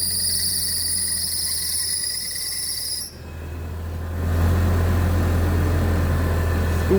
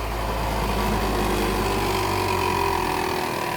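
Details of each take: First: Old Mitsubishi Pajero engine at first start after repair for a knock (valve cover, timing belt, balancer belt, timing marks aligned): crickets outdoors, then steady, even idle with no knocking. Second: Old Mitsubishi Pajero engine idling with a light, loose knock in the timing area from a failed hydraulic belt tensioner; camshaft turns freely with non-critical wear, timing belt starting to delaminate.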